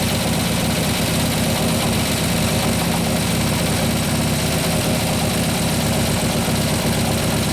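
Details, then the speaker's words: 2015 Harley Road Glide 103ci Twin Cam just after a camshaft install, at lumpy idle with a light quick ticking; seemingly the front intake lifter not yet pumped up. "alright so sounds like it's the front front lift your front intake sound like most of noises from its even the chain screws in here aren't pumping out"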